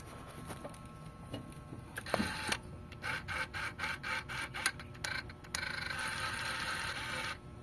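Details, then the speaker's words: Mitsubishi Lancer GLXi with high fuel consumption, key-on ignition, engine off: idle air control servo whirs in short bursts then keeps running for seconds instead of one brief sound; servo confirmed faulty. "So yun yung tunog ng servo niya mga boss, na dapat bagya lang. Sa unang tunog yun lang dapat, pero dapat wala na siyang kasunod."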